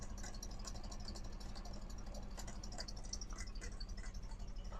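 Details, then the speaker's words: Neglected Toyota 4Runner running for the first time after revival work: rough, shaky idle with steady metallic rattle about four times a second; owner wonders if a pulley, source unclear. "Doesn't sound good. Well, we did hear it."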